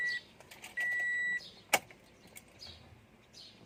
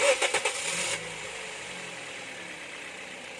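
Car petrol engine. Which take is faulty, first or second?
first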